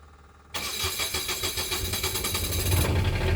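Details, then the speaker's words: Onan Quiet Diesel 7500 HDKAJ generator in a 2001 Coachmen 380 MBS RV, restarting after oil change and service, fuel system primed for over a minute: fires at once, runs slightly rough briefly, then evens into a steady chug; normal start. "Hey, look at that. Might run a little rough here for a minute, but seem to have picked right up there."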